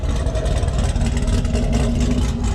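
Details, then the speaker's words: Cadillac Escalade idling outside to warm up and charge the battery, with steam from the exhaust. Steady, smooth low rumble with no misses, knocks or ticks. Normal idle. "I'll let the old girl sit here run warm up charge up that battery"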